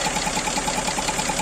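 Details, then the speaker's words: GAZelle Business with Toyota 5VZ-FE engine, warm idle: quick, light tick about ten times a second; owner suspected an air leak after the throttle, traced to a valve. "Но мне кажется что подсос воздуха откуда подсасывает не пойму точно не отсюдова"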